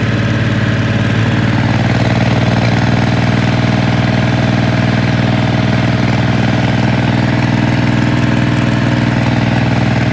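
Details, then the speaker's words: Ford 3000 diesel tractor: at about 1200 rpm, after a sweet 400-430 rpm tickover, the engine runs steady but with an occasional dropped pulse; intermittent misfire, valves suggested as possibly too tight, unchecked. "still running sweetly it's made us this far 1200 i think it's still missing"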